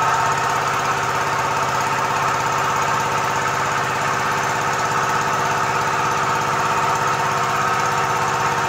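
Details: Komatsu PC-20 excavator, 3D84 diesel, with low power, black smoke and hard starting, loaded by jacking up the arm and bucket: rough, uneven idle with ragged irregular knocking.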